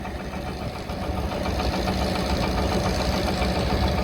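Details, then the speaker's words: KTWO muckspreader behind tractor after repair for beater vibration, grease nipple refitted: steady even churn, catching noise gone, no knocking; spreader runs smooth now. "There we go, that noise has gone, whatever that was catching."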